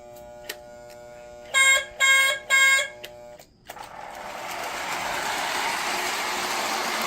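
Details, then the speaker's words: Lionel 2032 Erie FA-1 toy diesel locomotive running smoothly in reverse after wiring adjustments; a few short loud horn tones, then a light, even electric motor whir that climbs and settles. Normal motor run after repair. "yep she runs good in reverse"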